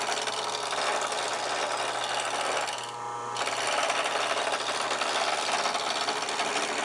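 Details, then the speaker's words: Wood lathe turning a square table-leg blank; chisel rested on the spinning, still-square section to check roundness: rapid chattering taps over steady lathe hum as the tool bounces off each flat spot, showing it isn't round yet. "i placed the chisel on top of the thing and you could hear it bouncing and i could feel it bouncing every time it hit a flat spot"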